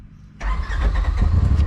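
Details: 2020 Polaris RZR XP4T that would not start due to a faulty brake sensor: after cleaning and reconnecting the brake sensor, a short crank and the engine catches straight away into a steady, even idle; clean healthy start.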